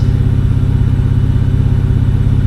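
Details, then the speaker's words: BMW N52 inline-six after a coil swap test for an earlier cylinder 2 misfire code: low, even idle with steady firing and no skips. Live-data smoothness values are good for all six cylinders and no faults are stored. "Aha, everything is firing as it should. Yeah, this is what it should be."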